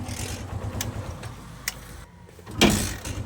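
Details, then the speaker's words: Barako 175 single-cylinder motorcycle with sidecar that was hard to start because the carburetor fuel screw was set for emissions. After carburetor tuning, it thumps, cuts out briefly, then fires on one kick and idles evenly: normal starting. "Madali na siyang paandarin kaysa kanina."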